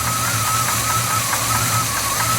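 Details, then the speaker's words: Tired old dually truck engine that burns oil: steady, dull idle with faint wavering high whir on top; runs but sounds worn. "the ones up mostly thing this motor is tired anyway"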